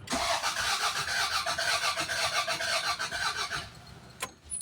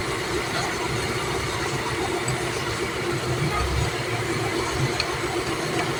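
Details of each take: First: Toyota Corolla with a no-power problem traced to the computer box: starter cranks the engine steadily for about four seconds but it never starts. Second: Toyota Corolla that cranked but wouldn't start, fixed after a computer box/relay problem (relay found not connected): steady, even idle under background noise, no knocks or misses, running smoothly.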